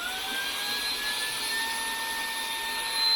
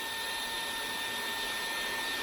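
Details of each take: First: DeWalt small belt-clip vacuum gives a loud, steady, high-pitched whistle that swells when the intake is restricted. The owner says it whistles under slight back pressure; the cause is not pinned down. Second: DeWalt small belt-clip cordless vacuum runs with a steady, even high-pitched rushing and a faint fixed tone. The usual back-pressure whistle is absent; it runs normally with good suction.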